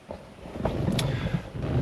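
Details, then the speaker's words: 1978 GMC pickup after replacing the blower motor resistor; low and medium speeds now run and medium-high moves far more air, whereas before only high worked. A steady whoosh with a low hum, blower running normally. "Uh, low, medium is actually running now. I couldn't hear that before. And then medium high is actually blowing a whole moving a whole lot more air than what it did before."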